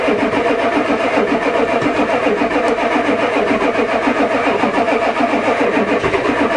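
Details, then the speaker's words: Ford diesel truck at +4 °C, never started that cold, with a newly installed glow plug controller that never clicks (owner suspects it doesn't work): steady starter cranking about three to four chugs a second, diesel smell, won't start. "again try again it's cranking good come on try again I can smell the diesel"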